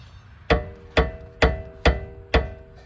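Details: 2020 Ford Escape, rear passenger-side sway bar link: five sharp metallic clunks as the worn link is struck upward by hand; driver's side link was replaced earlier and is now quiet.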